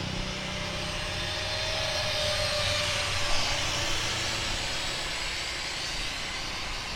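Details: Speedybee Mario 5 DC FPV drone, Axisflying 2207.5 1960KV motors, T-Motor 5146 three-blade props, on 4S lithium-ion battery after repairing stuttering motors: smooth, even hum with steady high note swelling with throttle; motors running cleanly in flight.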